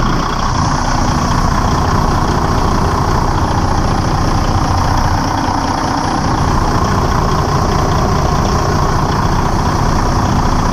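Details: Detroit DD15 diesel just after serpentine belt replacement, started to check belt stays on: deep steady idle, even clatter, no squeal or slap from belt; idling normally.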